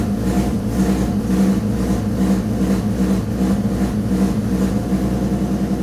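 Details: Peugeot 206 with swapped VR6 engine, before any revving: low smooth idle with soft even pulse about 2.5 per second, no knocks; accessory belt steady and engine barely moving on its mounts.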